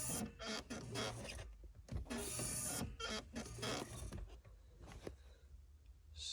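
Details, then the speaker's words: Ford Focus 1.6 clutch pedal: repeated creaky squeaks with each stroke from dry pedal hinge/pivot, before spraying lubricant to fix. "all right guys i thought i'd um make a little video on uh how to fix a uh noisy clutch pedal um you should be able to hear this it's very uh very irritating"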